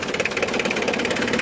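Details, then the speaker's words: 1993 Mitsubishi Delica Starwagon Chamonix 4x4, 2.5 L turbo diesel, about 25 years old: even diesel clatter ticking about nine times a second at idle, steady with no misses; runs healthy. "Sounds like a diesel, runs like a diesel. It's got a beefier alternator. That's what comes with these Chamonix. And just love the sound of that thing."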